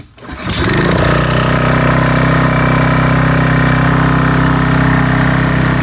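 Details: Briggs & Stratton 8.75 single-cylinder on a Toro Timemaster mower, test run after reassembly following a governor failure: catches after one pull, runs steady and even without knocking or surging, though it smokes somewhat.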